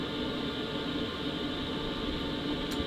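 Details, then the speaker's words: BougeRV diesel heater heating a DIY travel trailer, running on high at 5 kW: a steady even rush of air through the duct with a faint constant hum, no ticking or rattle. Normal airflow on high. "So basically you're just hearing air moving through the duct so you get an idea of the sound."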